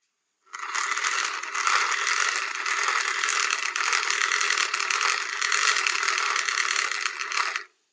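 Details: Cheap hand-crank BBQ fan: fast, rasping ratchet-like clatter through the whole crank, steady and bright, from plastic gears slipping in a deformed gear socket.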